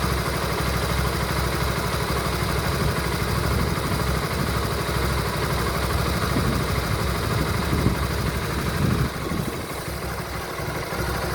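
Low, uneven idle with an irregular thrumming pulse of about two to three beats a second; something is off, cause unclear.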